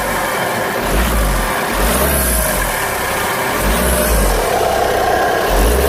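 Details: VW Golf 6 2.0 TDI diesel revving under throttle: rough, gritty grinding with a faint whistle rising with acceleration; also white-grey smoke when accelerating, uneven power and engine shaking at standstill; cause unknown.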